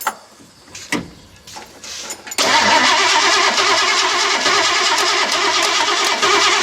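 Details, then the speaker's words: Ford 302 V8 in a chopped Econoline, just swapped to a four-barrel carb; brief starter grind then loud, even, crackly idle, earlier rattle gone. Normal idle. "Even idle. Wow. Wow. No more rattle either."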